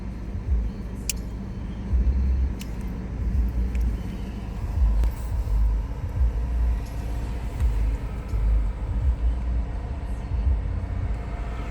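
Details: BMW E46 320d diesel: idle rises and falls unevenly every few seconds instead of holding steady, occurring when outside temperature is below 7 °C with the heater on; cause unknown.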